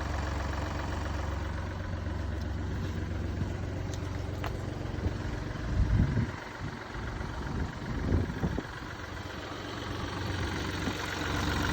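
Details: MINI Cooper D three-cylinder diesel at idle: lumpy idle with uneven low rattle and judder in bursts; a mechanic diagnosed a worn dual mass flywheel, which holds clutch springs and wears, causing hissing and juddering after the clutch is lifted.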